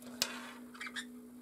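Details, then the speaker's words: 3D printer leadscrew on a Nema 17 stepper, test rig for a DIY cylinder phonograph, moving slowly forward: steady low motor hum, a click and short high squeaks from the ungreased nut on the rod. "there is a little bit of a squeak but that's because the nut and the rod don't have any grease or oil on them"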